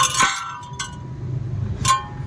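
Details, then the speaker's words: Maruti Suzuki Wagon R new model, front driver-side wheel: sharp metallic clinks at uneven intervals over a low rolling rumble, heard only at low speed (10–20, first/second gear), not at 50–60; stone trapped between brake rotor and dust shield, likely picked up off-road. "तो car जब भी धीमा speed में चलता था friends तभी आवाज़ आ रहा सुनाई देता हो था, शायद।"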